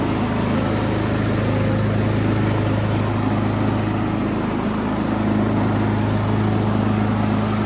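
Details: Poulan Pro PP175G42 riding mower, long stored outdoors, revived, running: steady, even low drone with no knocks, misses or surging; engine sounds healthy.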